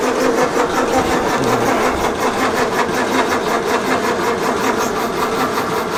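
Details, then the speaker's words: 1932 Morris Minor four-cylinder sidevalve, last on the road early 1970s, 6V battery, fuel dribbled in by funnel: a steady rhythmic starter churn for seconds that never fires; crank-no-start, owner suspects flooding and plans to pull the plugs. "no it's not so Keen now we're just okay give it a rest for a minute maybe maybe it's a bit flooded"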